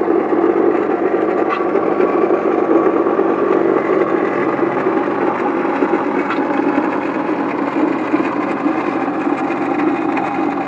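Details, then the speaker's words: 1997 Honda Accord petrol engine idling with a harsh, continuous rattling grind from the front, pulley side of the engine: the water pump bearings probably went bad. "the problem is the uh water pump all that rattling and stuff you heard was the water pump bearings probably went bad and that thing is just terrible man sounds horrible"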